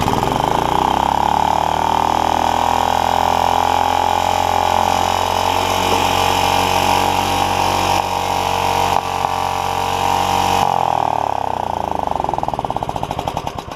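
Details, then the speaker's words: Honda HR194 push mower with a new ignition coil, started on choke with an old, hardened fuel line. It screams at a high, flat pitch with no governor dip, then stumbles and winds down: stuck throttle. The kill wire failed, probably because of the stuck throttle. "stuck throttle that's what happened uh and the kill wire didn't work so that's interesting too probably because the throttle is stuck that's why"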